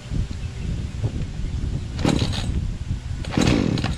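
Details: Chainsaw started on choke, loose chain: a few sputtering pops, then it catches and settles into a rough, steady two-stroke run; starting normally.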